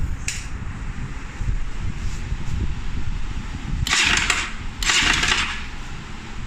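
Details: Pulsar NS 200 single-cylinder idling with an uneven light clatter and two short hissy throttle bursts; strange noise traced to a loose camshaft sprocket.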